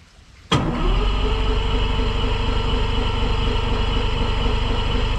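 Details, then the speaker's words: Yamaha 150 TXRC two-stroke outboard, morning after three-carb rebuild: starter cranks at steady even rhythm for several seconds but never catches because the fuel line wasn't hooked up yet; starts fine once connected. "that's right we don't have the fuel hooked up gotta do that first"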